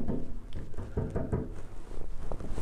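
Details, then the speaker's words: Brass rotor horn, typical school instrument: finger taps on the levers set off a short metallic zing from loose levers and linkage on spacers, a sympathetic vibration; fix is applying linkage and bearing oil. "you can hear that vibration zing zing zing just by tapping with your finger"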